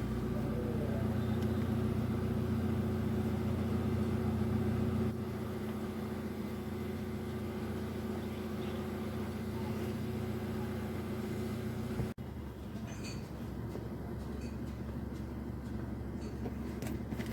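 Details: Hyundai i10 petrol engine idling smoothly with no skipping or stumbling after a misfire with heavy vibration and the check engine light on was traced to cylinder 3, where water was found, apparently after a car wash.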